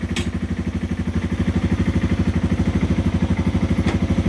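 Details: 2010 Yamaha TW200 single-cylinder, 4,500 miles, started on choke after a new X-Ring chain with new sprockets: settles into a steady, even idle thump with no knocks or rattles; the engine is running fine.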